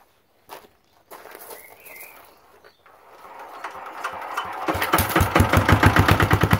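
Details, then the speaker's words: Lister Petter AC1 4 kVA single-cylinder diesel generator, 1980s British, 3000 rpm, starting after earlier no-start from suspected air in fuel, added fuel got through; sputtering catches then even strong diesel knock; normal running. "i will play you out to the soundtrack of classic british engineering"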